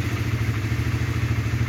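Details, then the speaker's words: 2007 Honda CBR 150 with original standard engine and original carburettor, idling: steady, evenly spaced single-cylinder thumps with no knock or rattle; smooth, healthy idle. "Masih halus teman-teman. Halus banget suara mesinnya."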